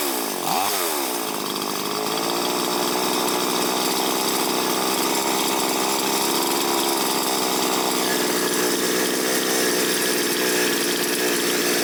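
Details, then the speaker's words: Chinese chainsaw after carburetor idle and mixture screw adjustment, air filter not yet fitted: quick blip, then a clean, steady high buzz without surging or bogging; well tuned, may need slight retuning once the filter is fitted. "Бенцепилка налаштована, але коли ми ще її зберемо до кінця, поставимо фільтр, її треба ще буде чуть-чуть підрегулювати, бо фільтр глуши оберти."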